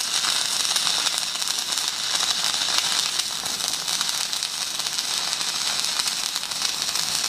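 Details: Magnum 150-type stick welder, 3.2 mm 6012 rod at 150 amps on half-inch pipe: steady, unbroken sizzling crackle like frying bacon; a healthy, stable stick-welding arc.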